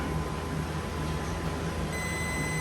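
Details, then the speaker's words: Older transformer-type golf cart charger (Total Charge III) with no DC output, rebuilt a month earlier with new board, multimeter diode check from back plate: steady high-pitched beep over a quiet room; diode conducts and tests good. "We hear it beep. That means it's working."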